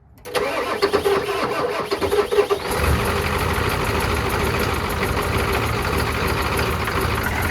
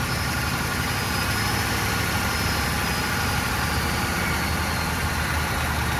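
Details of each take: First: Old Ford turbo diesel truck, sat for years, started after glow plugs and bleeding: cranks briefly, catches and settles into a slightly uneven idle, running a little rough cold. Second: Old Ford turbo diesel, sat for years, started on glow plugs and a jump box with makeshift fuel lines: steady, dense clatter at idle with a faint turbo whistle, holding even. Normal diesel idle; a small unidentified sound was noted.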